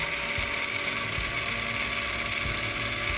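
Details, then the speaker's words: MN99S 1/10 RC truck metal gearbox in neutral under throttle, right after first 5 ml of oil added: high steady gear whine with faint ticking, slightly softened; gears still noisy from low oil. "Nah, kita tambah oli 5 mili dulu ya. Suaranya langsung agak, tadinya berisik banget"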